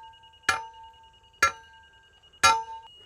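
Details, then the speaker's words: Laser receiver on the rod while setting screed pipe for a retaining wall base: fast beeping means high, slow means low; steady high-pitched tone with three sharp hand-tamp thumps about once a second as the pipe is tamped down to grade. "slow is low fast is high with a laser you can hear it beeping High"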